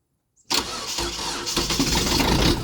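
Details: Old diesel truck, cold start at +1° after snow after glow plugs cycle: silence, quick crank, catches into rough clattery cold idle; starts fine.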